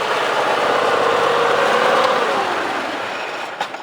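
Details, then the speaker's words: Cub Cadet 3050 four-wheel drive, front drive shaft after modification, with a greased bearing: a steady, even whir with no rattle or clunk; the shaft runs smooth. "Everything looking good. That guy shaft there running real smooth."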